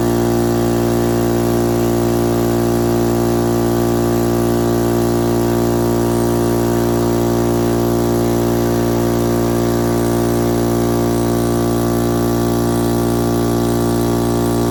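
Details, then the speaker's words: Air compressor that blows fuses and trips the house breaker every time it fills, before its capacitor repair: a loud, steady electric motor hum with a rapid, even pump beat, drawing heavily until the breaker trips. "I have a problem with my air compressor. Every single time when I try to fill it up, it breaks the fuse."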